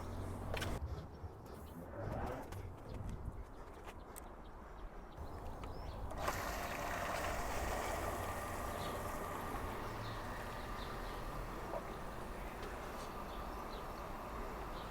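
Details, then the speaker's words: New upgraded above-ground pool pump, first start after converting to PVC piping: after a brief rustle, a low steady hum with a faint even whine; a little noise but acceptable, though flow is weaker than expected (possibly skimmer or filter). "that's doing a lot better than I expected it to do. It's making a little bit of noise, but that's acceptable."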